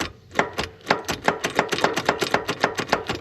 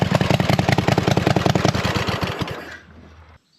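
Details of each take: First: Hustler Z zero-turn mower after half-finished engine swap, fuel shutoff solenoid unplugged to stop a 30 A fuse blowing, safety switches bypassed: rapid dry clicking about five per second with no cranking; starter clicking, no crank, cause unconfirmed. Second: Hustler zero-turn mower with swapped V-twin engine, new carburetor, no exhaust yet: loud throaty open-pipe beat, drops out briefly then picks back up; engine running normally with open exhaust.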